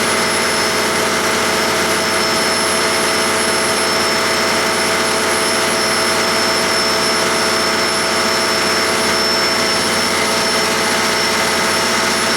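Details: 1959 Caterpillar D337F diesel generator set, ex-hospital, barn-stored 10–12 years, about 959–960 hours, running with no load and barely at operating temperature: steady, even note with a smooth unchanging drone, no knocks or misses; normal running.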